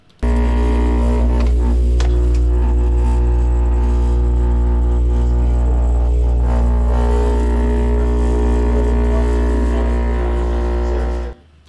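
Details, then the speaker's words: Refrigerator compressor vibrating hard on its mounts: loud deep droning hum with buzzing rattle; the vibration eventually caused a refrigerant leak. "Ah, e outra coisa, eu vou mostrar o que essa vibração, o barulho é por causa da vibração, o que essa vibração causou na geladeira."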